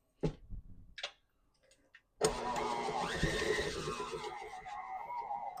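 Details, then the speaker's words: New KitchenAid stand mixer mixing cookie dough: a few light clicks, then motor spins up to a steady hum with faint rising tone and runs evenly; normal running. "You can tell she's working. She's making weird noises."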